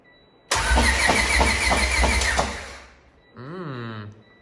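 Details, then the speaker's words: High-compression B20 engine freshly swapped into an EJ1 EG Civic coupe, cranked with the computer unplugged to build oil pressure: steady starter cranking about three turns a second with even compression pulses and no start. It turns over smooth and healthy. "we just want to build a little bit of oil pressure and then once we're confident this thing's turning over smooth and we're building some pressure we're gonna plug the computer in and start it for real"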